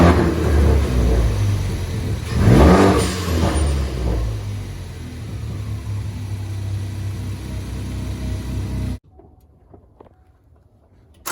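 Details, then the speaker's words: Mk3 Ford Focus ST revving with an uneven, stumbling beat of about two pulses a second. It suddenly started sputtering and cylinder 4 is dead; the engine is considered blown. "The ST was running fine, and then all of a sudden it started sputtering, and cylinder 4 has left the chat."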